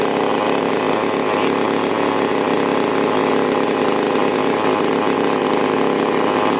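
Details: Chainsaw (5200/5800-class with H and L carburetor screws), after carburetor tuning: steady, even high-pitched buzz at full throttle with no surging or four-stroking; saw runs cleanly.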